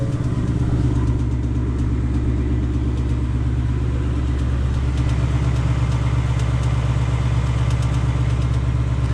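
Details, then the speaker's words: 2020 Ford Mustang GT V8, new, engine tick first heard around 1,000 miles: fast, fairly regular light metallic ticking over a steady idle rumble; the owner says it doesn't sound right and the cause is unknown. "that sound right IIIi don't think it sounds right guys yeah that's a weird sound you know I'm not quite sure what that is"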